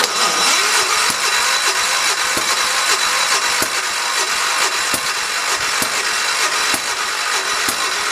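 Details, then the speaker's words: 1973 112 small engine after new points, coil, condenser and spark plug, spark confirmed: repeated cranking with uneven firing pops, catching briefly but never running; hard start, suspected flooded. "to be honest with you kindness sounds like it's flooded I almost wonder if it is"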